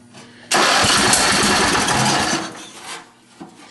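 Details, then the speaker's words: John Deere 111 hydrostatic mower engine, fuel pump faulty so fed from a gravity tank; catches with a loud crackling burst, runs rough about two seconds, then dies with a pop; backfire, more choke needed. "Nice backfire. That's always cute."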